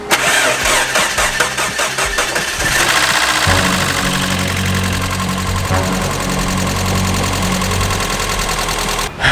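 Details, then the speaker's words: 1994 Mazda Miata, over 200,000 miles, first start after timing belt repair, new spark plugs and fixed vacuum lines; cranks, catches, idles with light rapid ticking from loud lifters, less noticeable when revved; oil very old. "Overall, pretty good. This engine does have over 200,000 miles on it. The lifters are a little loud, but once you rev it up, it's not as bad."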